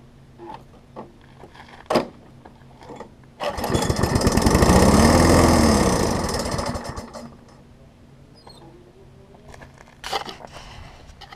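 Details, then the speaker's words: Craftsman 21-inch self-propelled mower, first start after fitting fuel line and temporary air filter: fires, revs briefly with hunting uneven beat, dies after seconds; owner suspects carburetor float setting, not confirmed. "So I've got a little bit more work to do, but at least it will start on its own. It might be just a matter of resetting the float on it."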